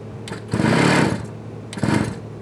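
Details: Scooter sitting a year and got wet in a leaking shed, fresh fuel added: two short bursts of quick buzzy cranking with choke on that never catch; it won't fire yet.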